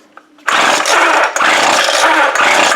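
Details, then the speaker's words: Stihl BG55 two-stroke leaf blower that won't rev, pulled over: three dull, muffled bursts without the sharp puff of escaping compression, as if running inside itself. Carbon-clogged muffler suspected, not confirmed. "if it sounds like the engine's running inside it like the exhaust is not coming out of it uh this could be your problem"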